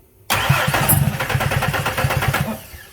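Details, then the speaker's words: Ford F150 V8 cranking with starter button after owner's parts-guessing, possibly anti-theft fuel cutoff: fast, slightly uneven chugging about two seconds plus a clunk, never starts. "you hear that and also that noise too that there you hear that clunk that's not a great"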